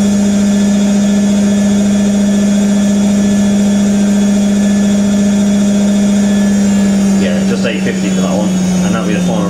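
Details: IKEA RENLIG IWM60 integrated washing machine on its first wash: Cottons Standard 60°C with SuperQuick, a load of darks, spinning around 850 rpm. Loud steady motor drone with a coarse, gritty roughness underneath from worn motor bearings.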